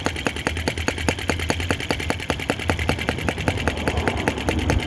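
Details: OKMO T16B Lanz-type brass half-tracked model tractor outdoors, blowing smoke rings at scale speed: slow, even putt-putt at about two and a half beats a second, steady; normal healthy, smooth slow idle.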